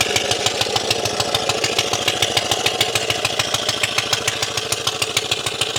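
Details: Briggs and Stratton Model FH single-cylinder engine on its wooden skid, after carburetor repair of a broken throttle shaft: holds a steady idle with a crisp, even beat; runs smoothly and sounds healthy.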